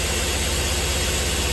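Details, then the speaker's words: LS V8 with cam lobe or lifter wipe on cylinder 7, idling with cylinder 7 disabled: steady low throb with slight regular miss but squeaking/ticking gone, confirming wiped lifter on cylinder 7. "cam noise is gone. So we 100% know that that is our cam scrub noise. We've wiped the lifter on 7."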